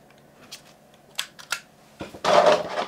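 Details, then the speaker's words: Canon PowerShot A480 AA-battery point-and-shoot, untested auction lot: short whirring bursts and clicks, then a longer grind as the lens extends at power-on; noisy zoom lens mechanism, though it still takes good, color-accurate pictures. "noisy little noisy camera but uh still takes good pictures and very color accurate"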